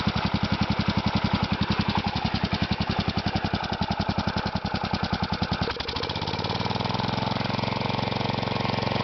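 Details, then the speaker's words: Kohler Magnum 16 hp engine (K361 block) on a Bolens 1256, air cleaner off, leaky muffler, very low idle: uneven, lumpy single-cylinder thumping settling steadier. Rough idle that still needs adjustment; no smoke and little blow-by. "Started doesn't sound the healthiest, but I'd never owned a Kohler before, so don't really know what they're supposed to sound like."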